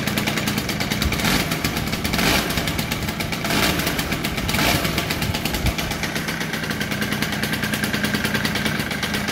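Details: 1985 Honda Spree two-stroke scooter, unstarted for a week or two (owner says it smokes after sitting and rips once warm), catches and settles into a steady, even buzzing idle with no knocks or misses; normal start and idle.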